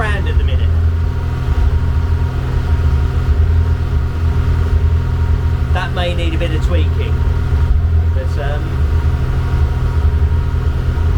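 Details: Engine first started in nearly 2 years after manifold machining and heater hose repair: fast, steady idle around 2500 rpm with a constant low drone and no dip; idle set too high; coolant overheat warning came up soon after.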